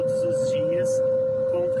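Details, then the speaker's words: New 100% electric car, faulty since delivery, while driving: unbroken mid-pitched warning tone over cabin noise, the rear parking sensor alarm stuck on; dealer has not resolved it. "o carro apitando. Vocês veem, eu estou dirigindo e olha o barulho que ele fica apitando. Era para ser um carro silencioso, 400 mil reais 100% elétrico, não é não?"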